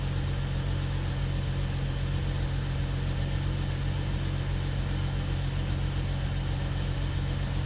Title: bmw 640 n55 first start after engine swap